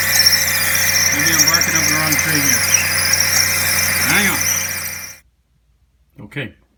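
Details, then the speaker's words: Suzuki SX4 manual, engine running: a steady, piercing high squeal over the engine, first suspected to be the water pump. Located with a stethoscope to the serpentine-belt idler pulley bearing, which has failed. "I was able to localize the noise that was actually coming from the idler pulley and the bearing here"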